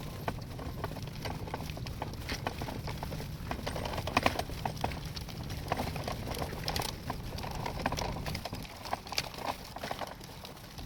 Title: Graco aire 4 xt stroller making clicking noises 2